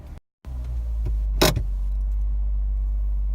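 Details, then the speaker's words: Jeep restarted in Park once the gauge switched from transmission temperature to coolant temperature, 204 degrees, warm after driving home; short crank, quick catch, steady even low idle; normal start and idle. "so I know now I turn the key ship still park I turn the key now Jeep starts as evident by it is"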